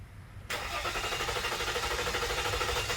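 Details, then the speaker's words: Ram 1500 3.0L EcoDiesel with long crank and hard start: steady starter churn about three beats a second, no firing for about 3 seconds until scan tool shows rpm signal; faulty crankshaft position sensor. "Yeah, about a 3 second delay. Soon as the numbers hit, the car starts. That should be It should be a signal right away."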